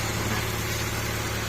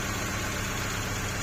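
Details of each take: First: Honda CR-V 2nd generation, after replacing a faulty ignition coil/spark plug part that caused stumbling misfire: even, steady idle with smooth low hum, no stumble or misfire; engine now running cleanly. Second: 2nd-gen Honda CR-V idling with a steady beat and a faint uneven stumble; pulling coils one by one showed cylinder 1 dead while 2–4 were good, so a failed ignition coil was suspected of causing the misfire and a new one was obtained.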